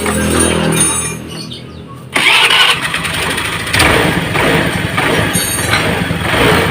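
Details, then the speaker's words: Honda Vario Techno scooter with vacuum carburettor, torn vacuum diaphragm, testing a shortened slide spring: fires up and revs in uneven swells, pickup lagging the throttle on initial twist; throttle hesitation with the cut spring. "Teman-teman dengarkan, begitu grip gas kita putar awal, seperti ada jeda di suara motor, seperti ada jeda. Jadi dia tidak akan seimbang antara grip gas yang kita putar dengan suara tarikan dari motor ini, teman-teman."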